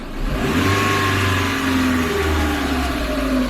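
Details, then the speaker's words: Chevrolet Matiz just back from an engine rebuild (valve stem seals, head gasket, skimmed block), blipped at standstill: after the throttle is released the revs hang and keep going before slowly dropping, worse on repeat; cause unknown. "So it's got quite a bit of overrun, I'm not sure why that is. But yeah, weird, really weird. It just sort of makes that noise now, I guess."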